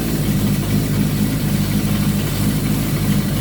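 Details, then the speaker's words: Suzuki GS1000 idling cold with the choke still partly on during a carb sync: a lumpy, uneven pulse that never settles, and the vacuum gauge on the low scale shows the carbs out of sync. "so on the low scale, this is where you're at. This is how uneven your bike is, but the choke is on."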